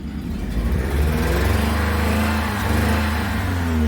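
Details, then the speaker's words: Four-cylinder car running: uneven lumpy note with stumbling pulses as it revs, splitting and spatting; plug test shows cylinder three dead, firing on two; misfire. "I don't know if you can hear this, but you hear how that thing is splitting and spatting."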